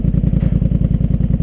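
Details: Polaris Sportsman Highlifter 850 twin with Big Gun Power Box and Evo U exhaust, running after tuning troubles, smoking a little, probably from excess fuel: even, steady thumping with no misses or knocks; normal running.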